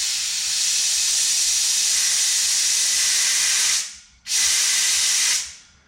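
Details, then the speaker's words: VG30 Navara external wastegate, gate removed and shop air applied, boost tee about four turns out: steady high hiss of air leaking past, cutting off briefly and returning. The gate bypasses that much air without opening, so its spring is too weak. "so I thought I'd be interesting to see how much you can hear it leaking if I hold this"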